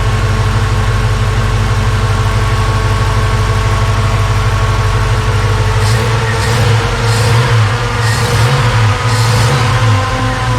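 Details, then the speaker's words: 1956 Ford F100 V8 idling after a Holley 4160 4-barrel carb rebuild (list 80457), fans whooshing: a deep, steady idle that seems a little lazy. Owner will recheck timing and may adjust; cause unconfirmed. "It does seem a little on the lazy side, so maybe there's a little bit I can do with it."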